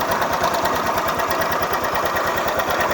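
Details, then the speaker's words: Honda Beat FI (old model) at idle after replacing the worn CVT roller housing: less noisy but still a rough clacking about three per second from the front CVT/pulley side. Slight crankshaft wear; engine must be split to re-center the crankshaft. "Ini ada sedikit ngegol teman-teman pada bagian asrek. Jadi nggak begitu parah, tapi sedikit,"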